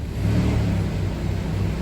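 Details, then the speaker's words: Jeep Grand Cherokee that sat for years, first start after a new fuel pump, fan shroud missing: a deep steady rumble swells smoothly as the throttle opens, with no knocks, misfires or squeals; normal revving. "That sounds way good. We obviously need a fan shroud, but one step at a time."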